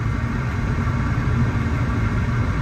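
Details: Bradford White 40-gallon power-vent gas water heater after replacing the control unit, pilot lit with good flame: low, steady hum with an even drone and no rattles or surging; power vent blower running normally.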